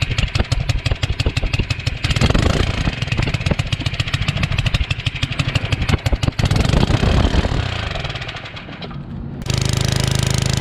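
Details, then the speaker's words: Generac 01292-2 pressure washer small engine: uneven chugging that surges, slows and fades out near nine seconds; it runs weak, not at full power, and stalls, cause unconfirmed. "Something's not right. It's not running at full power."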